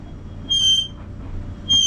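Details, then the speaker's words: Rented clothes dryer, not running long: piercing high squeal in bursts over a faint drum rumble, getting worse; suspected dry bearing or worn rubbing part, not confirmed; tipping the dryer forward temporarily stopped it. "It's been 10 minutes since I last was in here with a clip. Feel like I need to unload a clip on that son of a [ __ ] That is annoying. It gets worse."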